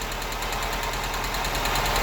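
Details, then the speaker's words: Honda Civic EK hatchback at idle: fast even ticking riding over the idle in time with the engine, owner says valves are ticking; top-end tick, cause not confirmed. "when hear the most annoying sound in the world great so the vowels are ticking"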